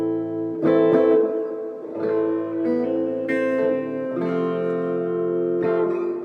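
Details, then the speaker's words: 1976 Fender Twin Reverb amp after reverb tank replacement, which fixed a total lack of reverb: guitar chords ring out with a clear lingering tail after each strum; reverb working normally. "we got reverb really nice on that now that sounds really nice"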